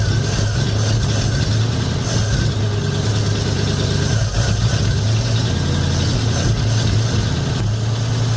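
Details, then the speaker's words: 1950 Ford F1 with Flathead V8 8BA, after replacing the leaking exhaust manifold gasket and missing header bolts, cold 45°F day: deep steady even idle, no ticking or exhaust puffing; exhaust leak fixed, normal idle. "oh yeah nice and quiet quite happy about that"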